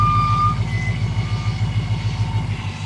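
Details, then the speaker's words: 2011 Ford Mustang GT, Procharger-equipped, SEMA carbon-fiber build, rolling onto a lift: regular, evenly spaced squeak about three times a second; suspension squeak suspected, source not confirmed. "a little squeaky"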